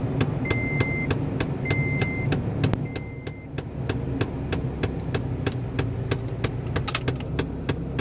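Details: 2011 Toyota Tacoma at start-up: rapid sharp clicking from behind the dash, about three per second, over an idling engine.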